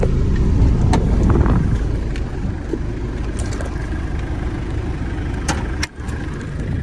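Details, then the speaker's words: Normal idle of a 1996 Mitsubishi Delica L400 with the 4M40 2.8 L intercooled turbo diesel, automatic, 107,231 miles, after 2–3 minutes of running. Temperature not climbing, no smoke. Low, steady diesel clatter with good turbo sound, no knocks or misses. "As you can see, no smoke, nothing. You hear that turbo, sounds good. Under the hood, same thing, real quiet."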